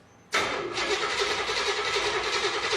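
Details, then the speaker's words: Impala cranking on starter after new fuel pump installed and delivering fuel, even rhythmic churn but never fires; no spark, battery sounded weak (11.9 V, 10.5 V cranking), MSD box has power. "no spark right seems like there's no spark that battery sounds dead though less than 9 volts in MSD usually won't fire"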